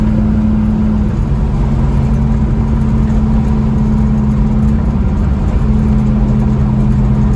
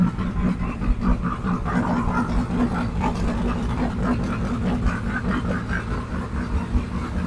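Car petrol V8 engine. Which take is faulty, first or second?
second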